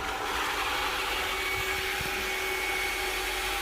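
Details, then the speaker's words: Water pump that had been cutting in and out constantly, after repair: even, steady mid-pitched whirr with no knocks or surging. It now runs soft, quiet and normal. "นิ่มๆเงียบๆคิดๆปกติเรียบร้อยครับแค่นี้แหละไม่มีอะไรอ่ะ"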